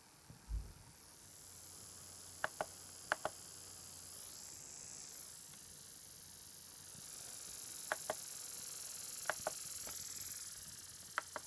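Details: Acer Aspire 5742 laptop speakers giving brief sharp squeaks, usually in quick pairs, over faint hiss; sound problem, cause unknown.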